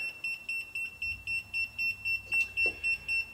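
Rapid high-pitched beeping, about four beeps a second, from a voltage tester signalling a live cord.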